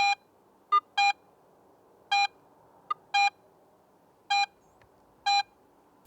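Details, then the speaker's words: AT Pro metal detector in Pro mode, silver coin passed at varying depths: short steady beeps about once a second, loud when shallow and faint chirps when deeper; normal proportional target audio. "and sounds fainter at deeper depths this proportional signal strength helps the more experienced user understand more about the target's size depth and even its shape"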